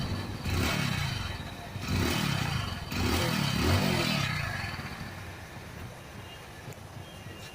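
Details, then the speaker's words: Passion Pro motorcycle: rapid tinny clatter, about four a second, swelling with each throttle blip over single-cylinder idle; silencer mesh has come loose after its welding broke; loose exhaust silencer baffle mesh. "ये देखिए जो इसकी झंझनाहट है, साइलेंसर की जो जाली होती है वो अगर आपकी निकल जाती है, उसकी जो वेल्डिंग है वो टूट जाती है, तो ऐसी साउंड आपकी भी गाड़ी में आ सकती है दोस्तों।"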